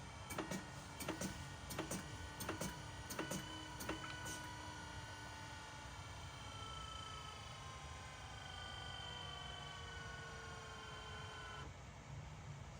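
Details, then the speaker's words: BMW E60 M5/E63 M6 SMG hydraulic pump during INPA bleeding after topping off with CHF-11S fluid (about 20 minutes): hum with rising whine, ticks about once a second early, then steady even run; normal operation. "So you can hear the SMG pump just making noises as it's working. So this takes about 20 minutes usually."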